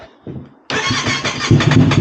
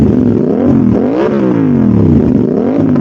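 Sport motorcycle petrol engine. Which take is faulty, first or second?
first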